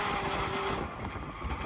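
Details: Air conditioner condenser fan motor: steady motor hum with a thin whining tone that fades after a moment; worn bearings.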